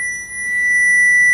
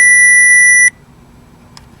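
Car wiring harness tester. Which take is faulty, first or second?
second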